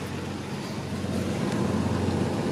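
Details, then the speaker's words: Jeep WJ Grand Cherokee petrol engine idling with a steady, even low rumble after EVAP code repair and codes cleared; no vacuum hissing heard, sounding as it should. "See if they come back. I think we're good. I don't hear any hissing up here."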